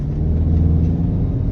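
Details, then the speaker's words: Audi Q3 2.0 TDI diesel on a test drive at 100 km/h after timing/cam repair for knocking and code P0016 (crankshaft position): steady, even low rumble with no knocking or tapping, running smoothly. "यह 100 की speed में चल रहा है एकदम car perfect चल रहा है"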